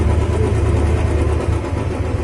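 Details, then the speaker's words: Royal Enfield Bullet 350 after repair for heavy tappet noise; it now idles with an even, steady single-cylinder thump and a quiet top end, much better than before. "खटपट ज़्यादा थी इसके अंदर, अब ठीक है, पहले से बहुत बढ़िया।"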